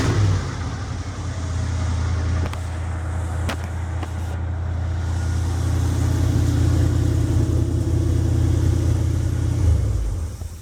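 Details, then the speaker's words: 1975 Jeep CJ5 carbureted V8 just after 650 Holley carb rebuild, first start before warm-up, vacuum leak fixed with PCV line: steady fast idle with deep rumble, idle too high, air screws not yet adjusted. "Idle's too high. I haven't even messed with those air screws."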